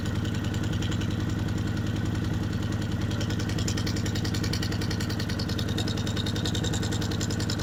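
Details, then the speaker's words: Kawasaki Vulcan 750 with manual cam chain tensioners, warm idle, tensioner backed off half to one full turn from starting point: steady light metallic clatter of a loose cam chain, worse at one turn. "a half a turn for my starting point and you just started hearing the clanking of the cam chain and then to show you further what a a loose cam chain um sounds like I loosened it further to one full looser turn from my starting point and you heard the clanking really bad"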